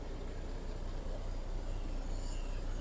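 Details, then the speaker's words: MAN D28 common-rail diesel after removing debris from an injector control bore and resealing, which cured knocking and white smoke: deep steady idle, no smoke or knock; normal idle. "Ни дыма, ни стука. Чётенько, ровненько."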